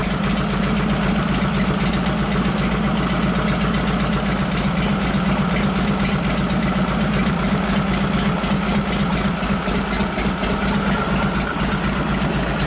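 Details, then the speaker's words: 1989 Harley Softail 93ci panhead with rebuilt, rejetted Mikuni HSR42 carb, mixture screw about 1.5 turns out, warming up: even steady V-twin rumble stabilizing, no stumble, popping or gurgle; clean fuel curve through revs, no rich exhaust smell. "See stabilizing right there. Now, as I was revving up, I listen to how the fuel curve is as you're going up and down through the RPM range."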